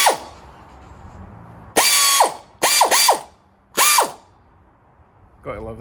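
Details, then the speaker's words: Air ratchet run off a restored vintage air compressor, pressure switch possibly due for replacement; short bursts of fast ratchet chatter with hissing air, spinning up and cutting off cleanly; normal operation. "Let's see if it works with actual power tools, or air power tools. I don't even know what they're called. Air tools."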